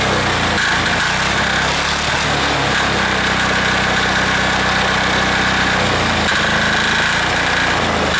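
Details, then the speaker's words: Air-cooled diesel engine just reassembled, throttled down from full to idle after earlier fuel starvation, with even, steady clatter at constant speed and no misses or knocks; owner says it sounds pretty good, normal running. "she'll idle down a little bit for us here sounds pretty good right there"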